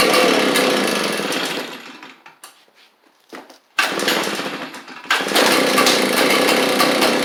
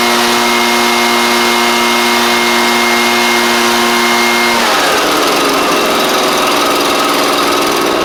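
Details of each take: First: Echo PB755ST backpack blower: two-stroke runs then fades and sputters nearly stalling, quits off choke or on throttle; fuel starvation, likely bad carburetor diaphragm, fixed by carburetor replacement. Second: Echo PB755ST backpack blower that idled but bogged on throttle, after carburetor kit installed: small two-stroke holds a steady buzz, then revs out cleanly with no stumble or surging; healthy running, fixed.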